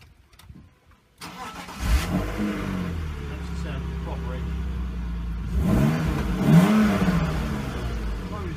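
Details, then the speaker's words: Start of a 2.5-litre straight-six drift build car (170 bhp stock): quick crank and catch, then smooth even idle with a brief rev, no knocks or misfires; a bit quiet, healthy engine running normally. "It runs like an absolute dream if you can get the door open on it. I'll fire it up, let you listen to the beast."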